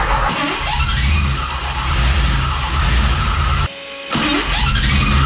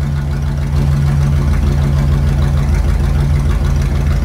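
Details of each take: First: Gen 1 HEMI on a dyno, fitted with a mismatched starter that doesn't line up with the flywheel: a loud running engine with a harsh metallic whir and grind as the starter gear rubs the flywheel. Spacer washers were tried; shimming is still needed. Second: Gen 1 Hemi V8 running on the dyno at a steady idle with an even, deep low hum and no ticking or knocking; no mechanical noises, and the engine sounds sound.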